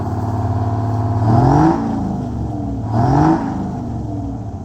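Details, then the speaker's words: Antique bus, engine running after repairing rat-chewed air throttle line: even idle, then two clean revs rising and falling smoothly, no knocks or rattles; sounds good, though a little vibration is felt. "Sounds good. >> Feel like it's got >> It's got a little vibration."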